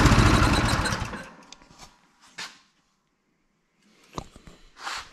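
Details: Friend's Yardmax snow blower engine, not priming, carburetor needing cleaning: catches with a short rough burst, then fades and quits within about a second; won't keep running, cause suspected as dirty carb.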